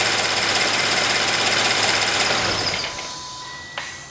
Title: Subaru BRZ High Pressure Fuel Pump Chirping Noise at Idle.